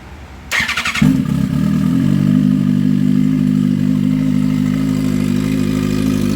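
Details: Drag race motorcycle after a race, in very hot weather: engine catches after a brief crank and settles into a loud, steady, lumpy idle with even firing; sounds healthy.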